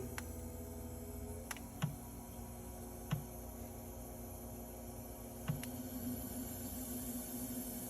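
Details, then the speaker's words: Mini fridge (HNSE05SSRF) not cooling, compressor run by jumping the thermostat with a wire: steady low compressor hum, even, with a few handling clicks; normal compressor running. "and we're going to plug the unit in and you're going to hear the compressor kicking on hopefully you can hear it compressor's running"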